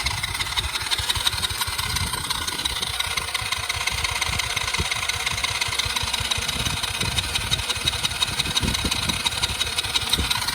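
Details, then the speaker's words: Cheap Chinese kids quad that sat for years, with fresh fuel flowing: fast even starter whirring about three turns a second, no firing; cranks but won't start, lost spark suspected. "Well, I'm gonna figure this thing out. We must have lost spark somehow."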